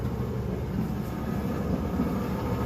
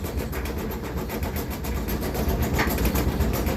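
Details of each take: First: Kenmore-type dryer test run after the flat-spotted rubber drum support wheels were replaced. The turning drum gives a soft, even low rumble with no rhythmic thumping; the dryer runs normally. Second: Kenmore-type dryer running with door closed: heavy low rolling thump, about four beats a second, with the cabinet rocking. Caused by worn, flattened rubber drum support wheels, to be replaced along with the belt.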